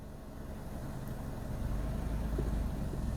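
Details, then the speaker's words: Manual car in first gear, clutch balanced with slight throttle while held by the handbrake: low steady engine hum that climbs slightly and smoothly as the clutch takes up, normal bite point with no slip or judder. "Tu entends alors un tout petit peu le moteur monter dans les tours et celle-ci avance."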